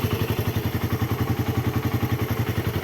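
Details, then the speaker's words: Raider 150 carb single-cylinder motorcycle after repairing loss of compression (both intake valves leaking, valve seals replaced, 28 mm round-slide carb): stable, even idle thump, three to four pulses a second, with no exhaust smoke. "Stable na stable ang menor."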